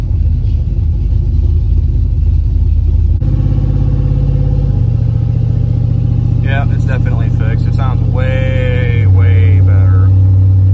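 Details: LS-swapped V8 daily driver with 200,000 miles, driving after a fix for a noise only heard while driving near the firewall: deep steady drone rising smoothly with speed, no knocks or rattles; slight lifter chatter remains.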